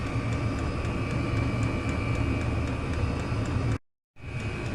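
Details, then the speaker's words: Chinese diesel heater running on kerosene, cover off, before noise fix: steady rapid ticking about three per second from the dosing fuel pump, faintly above the fan roar; normal pump pulsing that owner finds annoying. "so we've just took the cover off and there's a little pum pulsing away tick tick tick tick pumping the diesel put kerosene around in in my case we're running this on kerosene"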